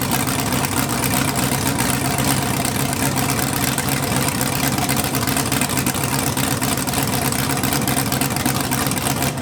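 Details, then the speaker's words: Budget LS V8 Mustang drag car, first start, open headers: loud raw roar with a steady fast lope, no knocking or misfire; fresh engine running cleanly. "suck it science look at that sounded like a champ now we need a turbo kit"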